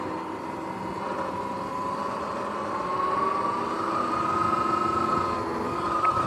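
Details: Sur-Ron X electric bike riding: a steady drive hum with a faint thin whine near 1 kHz that rises slightly with speed. The primary belt started making weird noises partway through the ride; cause unknown.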